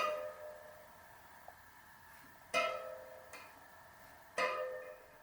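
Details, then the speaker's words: Road bike wheel checked after return from service: three plucked spokes give sharp fading pings at slightly different pitches; tension slightly uneven but not massively off. "they're not massively off i'll check"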